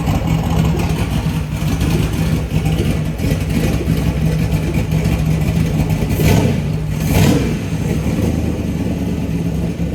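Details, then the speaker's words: LS V8 on a run stand, cold start: loud running with a couple of sharp pops as it revs; accelerator enrichment is off when cold, to be fixed with a tune once in the truck. "you can tell the accelerator enrichment um it's a little off when it's a little cold there so when I was first revving it it was kind of popping and stuff"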